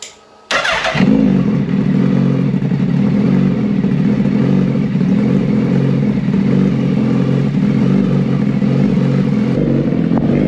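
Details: 2019 Suzuki Hayabusa after reassembly with a new full exhaust system: it catches instantly and holds a deep, steady idle through the loud exhaust with no misfires or rattles. Normal start and idle.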